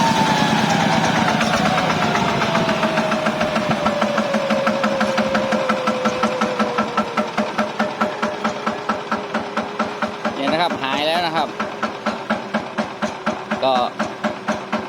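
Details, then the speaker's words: Yanmar TF105LM diesel on a walk-behind tractor, after a temporary field fix for the engine racing on its own and not shutting off (suspected stuck or worn governor). Revs drop away smoothly to a slow, steady diesel chug without surging; normal idle. "เลยนะครับว่าการทำวิธีนี้ก็คือแก้ปัญหาเฉพาะหน้านะครับกลับเลยก็ได้ครับหายแล้วนะครับ"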